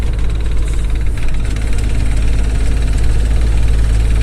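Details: Manual gearbox under way with steady low drivetrain rumble and faint irregular knocking in 1st, 2nd, 3rd, 5th and reverse; something in the gearbox, cause not yet known.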